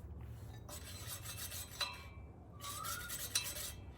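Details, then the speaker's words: Scott Bonnar Model 45 cylinder mower after professional sharpening, both sides lowered before tightening nylock nuts: hand-spun reel gives two even crisp scissor-like rasps across the bedknife, no catching or gaps; light even contact. "the reel is now touching the bed knife uh you should be able to hear it it sounds like it's a scissor all the way across the bed knife"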